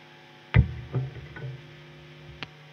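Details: Electric guitar rig in an old installation near a power plant: low steady hum under plucked notes, lingering between them; mains hum.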